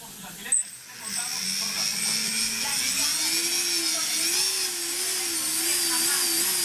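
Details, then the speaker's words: One drone motor fails to spin while the others whine steadily at high pitch and a lower tone wavers unevenly; after arming, one rear motor is broken while the rest run fine, cause unclear. "These motors fuel up perfectly fine, but it's this one, the one that's broken."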